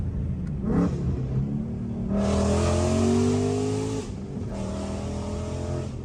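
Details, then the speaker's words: 2015 Mustang GT V8 after installing Stainless Works long-tube headers with Solo performance exhaust, not yet tuned, doing pulls; loud roar climbing cleanly in pitch through two pulls with no stumble or rattle; strong, healthy acceleration. "Oh, yeah. That sounds so good. Sounds good."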